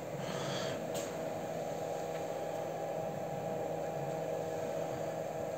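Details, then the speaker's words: Replacement fan fitted to homemade gas-cylinder stove, microphone placed near it: quiet, even airflow hum at steady mid pitch, no rattle or rub; blows air well but quieter than the previous fan. "то есть отлично подает воздух но потише чем чем тот"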